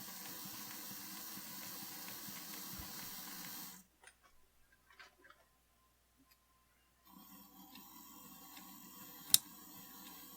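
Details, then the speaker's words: Electrotren NCB 0-6-0 steam tank model locomotive running: faint hum with slight regular clicking and occasional sharp catch, owner thinks the connecting rods are getting caught; likely faulty model. "I'm hoping you can hear that but it's clicking ever so slightly and every now and again it does get called quite badly"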